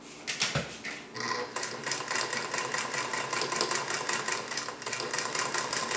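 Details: Singer 221 Featherweight sewing machine running on a sturdy wood table makes a quick, even mechanical ticking with no heavy clunks. Earlier bobbin-area clunking came from a cheap folding table that let the machine vibrate.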